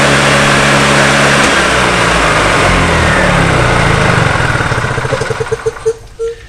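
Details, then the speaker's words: Old EZGO golf cart single-cylinder engine after carburettor rebuild, previously running only on full choke: runs steadily without choke with a clean even beat, no stumbling or surging, winding down smoothly at shutoff. "Everything sounds good, looks good."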